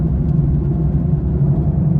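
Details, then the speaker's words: Car driving at 80 with phone stuck to dashboard: steady low train-like droning hum, no knocks; bad right wheel bearing, axle boot and axle bearings confirmed okay. "So ito guys ha pakinggan niyo yung parang tren na tunog. 80 yung takbo ko."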